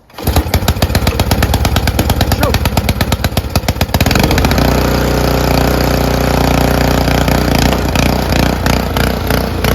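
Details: Honda HS520 single-stage 4-stroke snowblower after ultrasonic carb cleaning cleared clogs: quick even firing, then smooth steady run with no misses or surging; normal running.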